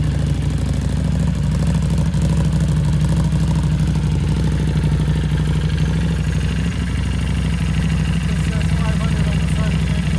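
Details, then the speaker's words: Harley-Davidson Street 500 chassis (17k miles) with a fresh Street 750 engine swap, only 60 miles, newly tuned with FP3: even, steady V-twin idle, smooth low rumble, no misses or surging; purring like a kitten, normal idle. "so the 750 is purring like a kitten"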